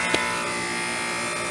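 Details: Trane AC condenser installed the previous year, whose compressor had failed to start with only the fan running: after a new capacitor and a hard-start booster, a short start thump, then a steady, even hum with a buzzy edge; normal compressor running.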